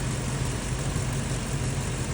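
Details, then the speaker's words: Ford truck petrol engine idling with a steady, even low rumble and no misses, after carbon-stuck throttle body parts were cleaned with carb cleaner; the earlier rough idle when cold is fixed. "You can hear it running in the background. It's actually It's running extremely well right now."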